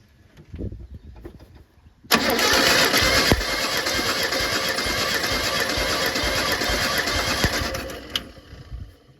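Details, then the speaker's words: Mitsubishi Pajero 4G54 compression test, rechecking cylinder 1 (120): starter cranks steadily about six seconds at an even beat without stumbles; all four cylinders roughly equal, compression even. "Well, you can hear we got plenty of spark. Those leads are arcing out on the motor. It's a little bit less, but around the same as the other 3."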